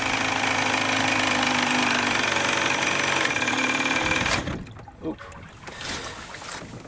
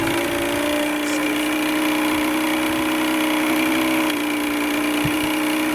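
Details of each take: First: Vintage Evinrude/Johnson 35 hp outboard with good spark, after starter fluid, running off bad gas: buzzy, rough run for four seconds, then sputters, coughs and dies; misfire, possibly from bad fuel reaching the carburettor. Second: Vintage Evinrude/Johnson 35hp outboard, started after sitting over 24 hours, after bad gas was purged: a steady, even idle with no stumbling or dying. It gets better once warm, where before it would not idle for any time.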